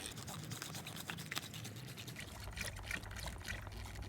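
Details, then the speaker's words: Peugeot 207 1.6L HDI diesel service, new fuel filter fitted and bleed screw open: soft trickling and gurgling as the hand primer is squeezed. Fuel is filling the filter while air bleeds out. "Okay, so what felt like an eternity of squeezing the hand pump just here, you can now hear fuel coming into the fuel filter."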